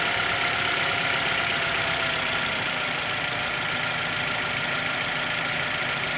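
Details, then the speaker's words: Toyota Avanza/Daihatsu Xenia radiator electric fan after motor carbon brush replacement, engine idling: steady, even rush of air with no scraping, ticking or wobble; fan works normally again. "Coba akses hidupin lagi di juga kebagian vegapunk nomornya terwujudnya hidup kembali dan berfungsi dengan normal kembali"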